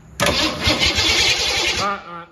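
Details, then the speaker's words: 1972 Ford Pinto drag car with 302 V8, C4 transmission, not run for a while, battery 12.4 V, cranked with ignition off: sluggish, labouring starter rhythm at first, no firing. Slow cranking. "thing's kind of slow at first, isn't it? To have no ignition on? Yeah. It's kind of cranking slow there."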